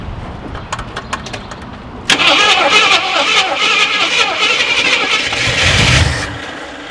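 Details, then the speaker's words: Harley-Davidson Cherokee Chief motorcycle sitting 3–4 years, new battery, likely bad fuel: starter grinds the engine over unevenly for about four seconds without catching, to build oil pressure; cranks but does not start yet. "I'm just gonna go ahead and spin it over first, see what it sounds like, or see if it does spin over, and we'll go from there."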